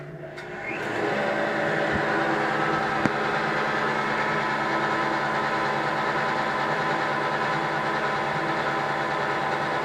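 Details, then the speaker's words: Craftsman shaper model 113239291, 1/2 hp motor, 1/2" spindle, belt-driven: steady, fairly quiet motor hum with even belt whir, slight pulley vibration felt at the table, no knocks; normal running. "as you can hear it's not very loud which is which is another good thing when you when you run and touch this table you can definitely feel the vibration in those pulleys"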